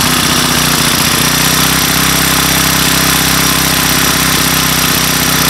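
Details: Craftsman Speed Start 29cc four-stroke string trimmer, weathered, first cold start on a cold day with a makeshift filter cover: fires and runs on at a steady, buzzy idle without dying; the engine is running properly.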